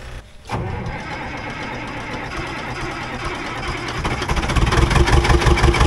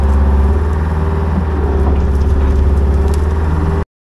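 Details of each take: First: Old budget diesel excavator after draining both fuel filters: cranks, catches, then steady clatter rising and falling smoothly with throttle, no stumbling; fuel issue seems resolved, moving a big stump without bogging. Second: Old budget diesel excavator after priming the fuel system with the electric pump: runs better but with a lumpy, uneven beat, about three to four pulses a second, never smooth; owner suspects remaining fuel issues.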